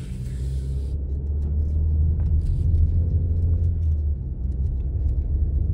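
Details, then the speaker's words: 2011 Chevy Cruze 1.8 L, about 174–175k on the odometer, test drive after a tune-up with new spark plugs, throttle held; deep cabin rumble builds smoothly with no stumble; normal acceleration. "well seems to be responding good oh yeah I can definitely tell a big uh big difference"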